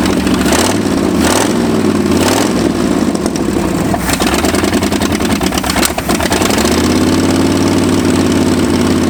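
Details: Ford F-250 abandoned 26 years, V8 after new spark plugs on revival start: lumpy, uneven idle that hunts and stumbles before settling; ignition timing still way off and carburetor not set.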